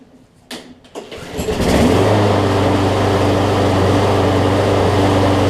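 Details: John Deere JA62 push mower, about 15 years old, Briggs OHV Quantum-style engine, after cleaning a gummed-up carb: a couple of pulls, then steady even idle with only a faint surge; running fine.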